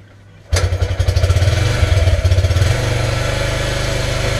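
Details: Yamaha YBR 125 after ignition, stator replacement and carburetor clean, kick-started cold on choke: starts first kick and settles into even, steady low thump; single runs smoothly, normal idle.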